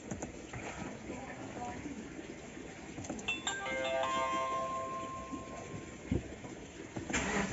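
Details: Subaru Forester: starter churns in repeated bursts but the engine never catches or fires; crank, no start.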